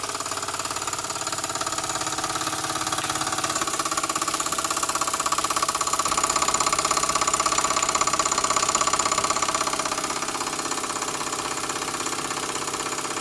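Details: Small model engine, likely the vertical steam engine just fired up, belt-driving a homemade Baker fan as a working load. Quick, even chuffing at a steady beat, swelling slightly midway and never missing; normal running under the fan load.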